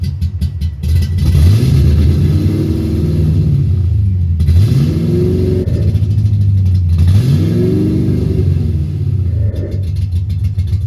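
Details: 1990 Ford Mustang LX 5.0 V8 (GT-40P heads, 30 lb injectors) that would not start; bad EEC power relay swapped: revs blipped up and down, stumbling uneven idle like four or five cylinders. Owner suspects heavy fuel glugging; several MAFs and computers tried, possibly a harness fault.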